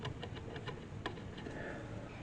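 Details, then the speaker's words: Webster Chicago Model 70 record changer from a Magnavox console: light, fairly regular tick several times a second over faint hiss as the needle rides a mark it scratched while resting there; both needles ruined. "That's where the needle, when the arm's sitting here, the needle's hitting that, and it scratched that there. So, I mean, you can hear it, right?"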